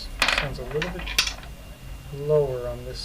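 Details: Belt on an Ender 5 Plus being converted to a ZeroG Mercury One.1, tensioned by ear toward a 110 to 120 Hz target; plucked notes ring briefly, one side a touch lower in pitch, so that belt is slack.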